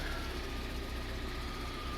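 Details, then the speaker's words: Toyota MR2 SW20, long unused, seized fuel pump freed by reverse-polarity charging, now drawing 5.6 A at 13.8 V: steady, even low rumble with faint constant tone, no knocks or misses; healthy idle after repair. "you probably can't hear this but i can it's spinning like normal now taking 5.6 amps at 13.8 volts cars fixed and i didn't even have to jack it up excellent"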